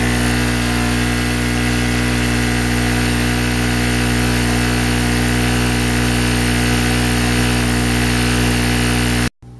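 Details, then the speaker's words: Chicago Electric 800 W two-stroke generator under about 700 W electric-heater load, after replacing a junk spark plug: steady, even drone at constant speed with no hunting or surging; running smoothly. "okay I'm going to let the generator run for a minute um I've got about 700 700 Watts on it seems to be running great to me"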